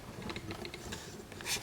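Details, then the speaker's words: BMW 328i E36 convertible, suspected blown head gasket, battery dead: pressing down on the trunk lid gives a few quick light clicks and a short snap; latch moves but won't release, owner suspects a switch inside. "there's some kind of way you gotta push down on the trunk to get the trunk to open it's weird you can hear the lock when you uh push down on the trunk"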